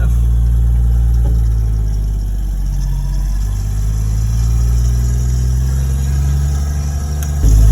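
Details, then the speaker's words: RB25-engined Nissan Cefiro, newly fitted LSD diff replacing the old locked diff that chirped: even low engine drone through a tight low-speed turn with no chirping or binding from the rear. Differential working smoothly. "Oh, look at that, listen to that, no fucking chirping. No what? No, remember how it used to like chirp?"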